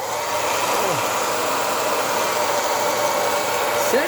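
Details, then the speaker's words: Hair dryer after disassembly, cleaning and reassembly for a strange noise, heat and cold button working: steady even air rush over constant motor whir with no scraping or rattling; running normally. "Barulho razoável. Aqui atrás ele puxa o vento, não pode nunca ser tapado. E tá aí funcionando, beleza, bacana."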